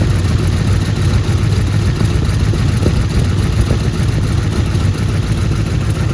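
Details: Turbo Trans Am engine after partial overhaul (revised heads, new camshaft, adjusted valves, new turbocharger), first start on break-in oil, running at raised rpm for the 30-minute break-in: steady, even low rumble without knocks or ticks; oil pressure great, normal fast idle.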